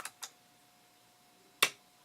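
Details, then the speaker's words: Fisher CA-880 amplifier switched on with the volume all the way down: a single sharp click a moment after switch-on in a quiet room as the speaker protection relay pulls in normally. "so the relay kicked in the lights on the front panel are glowing"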